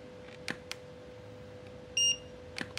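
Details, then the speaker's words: Repaired Godox V850 speedlite, stepped up from 1/128 power to full power: a couple of sharp clicks, then one steady high beep lasting about half a second; recycling and signalling ready normally. "Iya itu dia ya teman-teman kita tes di full power nih full power gimana ni masih mau keluar ggak nih"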